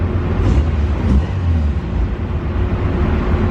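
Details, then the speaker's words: Lowered car with custom cat-back exhaust, restarted after exhaust hangers were adjusted to raise it about 1/4 inch of clearance: steady even low rumble, the earlier loud rear rattle is gone, running normally. "All right, so hopefully, it sounds better. Oops, wrong key. Yep, it's gone."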